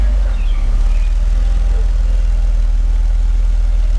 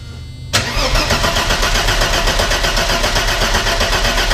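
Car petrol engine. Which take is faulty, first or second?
second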